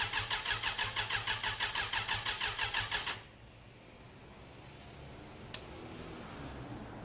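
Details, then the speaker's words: Suzuki Bandit running roughly with uneven, lumpy chuffing about three beats a second, then cutting out after earlier backfiring; possibly running on fewer cylinders or a faulty spark, with the sidestand switch suspected. "it sounds terrible I'm gonna have a little play and see what's going on"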